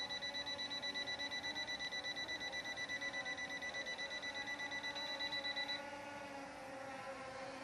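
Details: S1S Max drone in outdoor flight: rapid even beeping about three times a second over the rotor hum, then stops; obstacle-avoidance warning that it is too close to the pilot.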